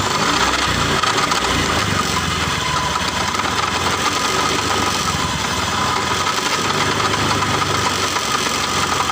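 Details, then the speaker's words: Bitpop scooter running with a steady rough grinding, ngorok rasp and friction from the CVT case area while riding; with the CVT case opened, the final-drive bearings are found running dry because the gear oil had run out. "Perhatikan, suaranya kasar banget di sini. Ini diperkirakan kahler-kahlernya yang kena. Suaranya ngorok."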